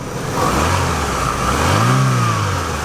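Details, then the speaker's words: Used Chevrolet Aveo small four-cylinder revved: smooth, even rev rising and falling cleanly with no knocks, misses or rattles; normal, healthy engine. "that's a good running little engine by Chevrolet folks okay so that's great"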